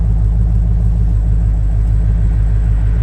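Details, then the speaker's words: 2500 2WD truck with heads-cam upgrade, naturally aspirated (320 rwhp), about 18–20% injector duty: deep, steady rumble with gentle lope around 700 rpm, even, no misfires; normal healthy idle. "difficulty and that difficult 700 rpm idle throw in a hearse believe it Dunkin Donuts this truck made 320 rear-wheel through the Forli to eat on 20 percent of the injector roughly maybe 18 percent nice calm idle every time"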